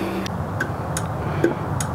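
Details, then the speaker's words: Dodge Grand Caravan battery with a dead cell on a charger: sharp ticks roughly every third of a second over a low hum as the charger cycles erratically on the failing battery. "see what's happening with this battery it's definitely driving the charger crazy"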